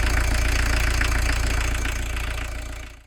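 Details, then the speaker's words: VW camper diesel van, heavy, at a settled idle after the fueling screw was backed off to cut smoke at some cost in power, then shut off; even, steady clatter with no stumbling; normal idle. "Yeah, I would say now, having backed off the fueling screw, you will have lost a little bit of power, but you'll have lost a lot of that smokiness as well too."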